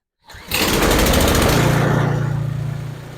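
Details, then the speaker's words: New Husqvarna ST227 snowblower, first cold start on ethanol-free fuel, primed five times, choked: catches after a couple of pulls and settles to an even chug of about four beats a second; clean start. "all right let see if this thing will start I shut the salamander off so we can hear it Keys installed I'll Prime three times well being new let's do four five that high feel is on choked see how she"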